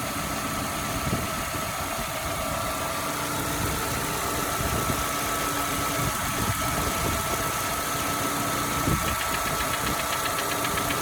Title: Golf V 1.6 BSE engine knocking noise